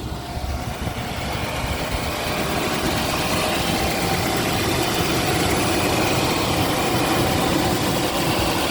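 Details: Mercedes W126 V8 on LPG after misfire and backfires cured by adding more LPG (fuel mixture fix), started up: smooth, even idle with steady level, no stumbles, pops or misfire; runs cleanly and healthy, no warming up needed.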